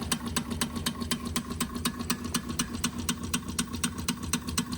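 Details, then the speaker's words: Wilesco D6 toy steam engine fired by old, crumbled solid fuel tablets, flame possibly low; light even chuffs about four per second over a soft hiss, below full speed, would run much faster with two new tablets. "I used the the solid fuel tablets and most of the solid fuel tablets I had in there were quite old. And so it's it's quite possible that the flame's quite low because I know if you put two brand new tablets in there, this would go a lot faster."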